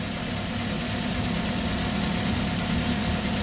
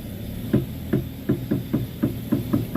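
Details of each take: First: Car whose front wheel clunked when steering or over rough road, tested after repair and alignment: steady engine hum while the wheel is turned, with no clunks, knocks or creaks; steering is now tight and quiet. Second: Toyota Avanza/Xenia-type front wheel while steering is turned: dull sharp "tek tek" knocks about three a second.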